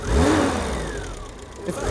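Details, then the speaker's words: Dacia after tightening a loose earth point on the back of a box: engine catches promptly, revs cleanly and settles smoothly with no misfire. This earth caused the recurring problem since the journey began in Romania. "earth was it and that's been the problem the whole time since we started our journey in Romania just at earth point err on the back of this box"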